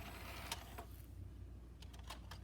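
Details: Nakamichi MB-3S CD changer with magazine cover off: soft motor whirring with sharp clicks as it pulls a disc from the magazine; normal loading, though intermittent disc 7 load failures and skipping are reported.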